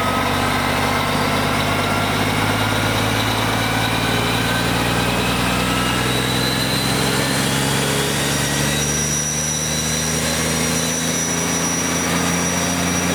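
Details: BUCKETMOUTH forestry stump grinder, 1.2 m wide, 1.7 m high drum over 6 tonnes, starting up: deep, even engine drone as the drum reaches motor idle speed, then whir climbs in pitch through the second phase to full revolution; smooth, healthy.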